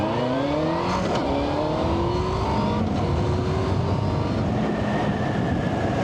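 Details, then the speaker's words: Yamaha Fazer riding after new front wheel bearings were fitted and the tyres were inflated (it had been ridden nearly unpressurised): engine rises smoothly through the gears over even tyre and wind roar, with road noise coming up through the fairing. Normal road noise. "yep it's very different definitely still a look you can hear the road up through the fairing there but I guess it's coming up through these two holes more than you know kind of funneling the noise a little bit"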